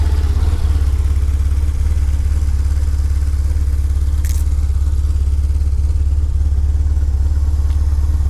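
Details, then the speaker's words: 2001 BMW R1150GS boxer twin with 35k miles, not ridden for a while, which the owner says runs great with no issues: an even, steady idle of about three beats a second with no ticking or knocking. Normal idle. "The bike itself, it's running great. It has no issues at all, so everything works."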